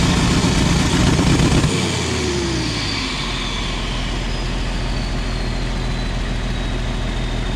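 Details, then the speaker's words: 1994 Isuzu cab-over diesel truck that sat for three years, after about 20 minutes of running at half throttle and a dose of fuel additive: the engine settles from a rev into a steady, even idle clatter with no stumbling. "this thing actually sounds good now it's got a mess in it but i also dumped a bunch of fuel additive in that i think that's what helped it don't sound bad at all"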